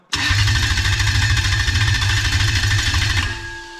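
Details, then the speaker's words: Engine on a stand with no gearbox, cranked through a Link G4X Xtreme ECU with the fuel disconnected. Steady, even, strong starter chug at about 200 rpm until it releases; normal, healthy cranking. "so you can see there on the rpm gauge we are cranking at around about 200 rpm"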